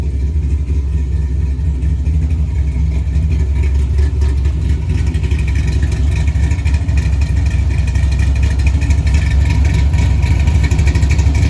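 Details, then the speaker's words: LS-swapped 1964 Chevy II Gasser on Holley Terminator X with big cam, just fired after fixing reversed coil pack harnesses: deep, loping, lumpy idle set at 950 rpm, steady with no knocks or misses. Normal lopey cammed idle. "Oh, it runs, I love it. It's actually idling, so I'm just gonna leave it alone."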